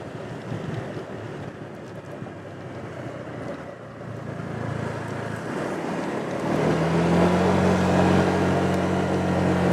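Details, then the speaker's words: Honda PCX150 pulling away after new Dr. Pulley variator sliders, recorded on a rider's chest rig with some wind. The engine climbs smoothly without shudder or judder; not strong off the bottom end: normal CVT acceleration. "Yeah, not real strong off the bottom end, but it's very smooth, so that's good."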